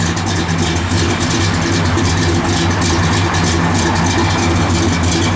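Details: 1967 Pontiac GTO, YS-code 400 ci V8, 4-barrel, 670 heads, stock manifolds, H-pipe Flowmaster dual exhaust, mild cam, 400 Turbo Hydramatic: deep, slightly uneven idle with gentle rhythmic lope, steady and clean; healthy engine.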